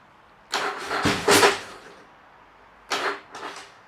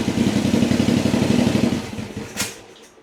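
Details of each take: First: Yamaha XV1000 Virago engine fitted with 750cc heads for high compression, first start attempt: two harsh, strained bursts of cranking and catching; compression 180 vs 75 PSI, owner suspects valves touched pistons. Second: Yamaha XV1000 Virago V-twin, 1000cc engine fitted with 750cc heads for high compression (about 180 psi), first start on jump battery, early cold morning: lumpy even beat, clean rev, smooth return; runs healthy, one backfire probably from excess fuel.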